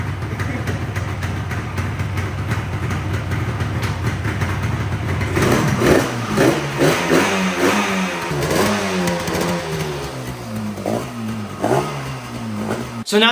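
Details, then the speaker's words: Yamaha RD350 two-stroke twin, abandoned about 10 years, revived on premix. Uneven, lumpy revving that surges and sags with no steady beat. It misfires, running mostly on the right cylinder with the left only sometimes firing. "the bike and multiple times in this video has been running on one cylinder sometimes that left cylinder actually starts to Fire and the bike runs properly but most of the time it's running on just the right Bank"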